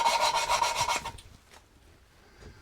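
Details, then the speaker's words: Engine rebuild, cylinder head valve lapping by hand with a sucker and coarse grinding paste: about a second of gritty back-and-forth rasping; paste still cutting, quickly forming a uniform grey seat edge until resistance disappears. "Little bit of grinding paste, that's coarse paste on there. But I know you have to be able to feel them."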